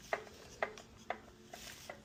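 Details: Scag 36-inch commercial walk-behind mower, single-cylinder four-stroke gas engine: sharp, evenly spaced metallic ticks about twice a second; knock traced to the valve lifters, compression low, noise gone after oil change and maintenance.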